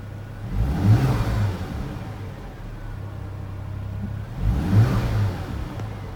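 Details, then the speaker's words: Volvo V70 after coolant loss and overheating, refilled and run up to temperature, camera resting on the steering wheel: two clean throttle blips rise and fall smoothly, with less vibration than before and a smooth idle between; normal revving. "yeah I've got the camera resting against the steering wheel obviously it seems a lot smoother now not so much vibration"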